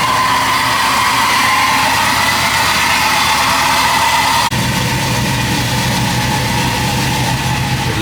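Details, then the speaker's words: Chevrolet C10 V8 idling evenly and steadily with no hunting, surging or stumbles, after a new complete wiring harness, replaced injectors, a fixed vacuum leak and a reconnected sensor; the owner hopes the fault is gone: normal idle. "like she's idling steady. It would have started acting up by now. I'm hoping that this was it."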